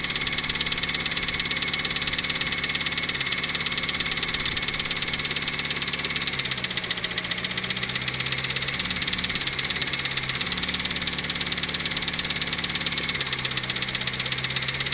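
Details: R18-turbo Honda Civic with a suspected blown engine, idling with a steady sharp knock about three times a second. The leak-down test was fine and the timing chain is throwing a lot of oil; the knock did not change when listening for changes.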